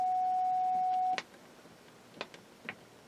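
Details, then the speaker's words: Carrier from a one-tube 10 m AM transmitter on 29 MHz, heard on a receiver in CW mode: a clean, steady single tone for about a second, then stops with quiet clicks; healthy CW note, modulation not yet working. "so if we look up on the receiver you can see it's it's got a nice cw note let's put it in the am see what it sounds like"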